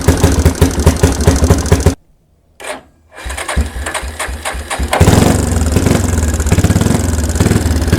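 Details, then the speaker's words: 1992 Yamaha Big Bear ATV, sat about a decade, choke out, old oil left in: after a brief stumble it catches and settles into a steady, even single-cylinder putter at idle; the replaced fuel mixture screw needed slight adjustment. "and it's running so they fuel mixture screw had to be adjusted a little bit because it was replaced"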